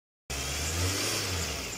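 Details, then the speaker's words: Engine after replacing a noisy crankshaft pulley whose rubber damper had separated: one-click start, even note with a brief rev, no rattle or knock from the front; normal running after repair. "okay na okay na siya mga ka yung kinabit natin Ano Crank siya fully one click start lang siya"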